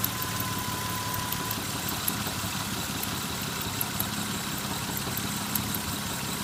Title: Lexus ES 300 knocking sound